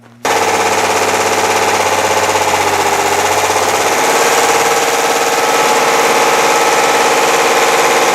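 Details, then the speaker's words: Chevy S10/Sonoma 4x4 4.3 V6 run with no oil until it dies: held at screaming high rev with harsh rapid metallic rattle; engine fully grenaded from oil starvation. "i uh gave her fuel and let her go and she did not let down she fully grenaded fully grenaded so i don't think she'll be re-firing in the morning"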